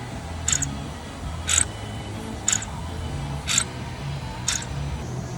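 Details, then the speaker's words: 2016 Hyundai Sonata 2.4L with P200A code, intake manifold runner (VCM) motor cycled by scan tool with key on, engine off: old motor gives sharp repeated squeaks, new one doesn't, confirming old motor bad. "it's basically what it's supposed to sound like and that tells me that the old one is definitely bad"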